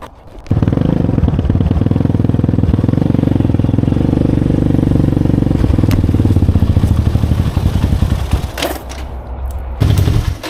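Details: 2020 Chinese Apollo 250cc dirt bike, sat 2 years with gas left in carb, ridden: single chugs at a flat, unchanging pace, never climbing in pitch; won't rev out; owner suspects dirty carb.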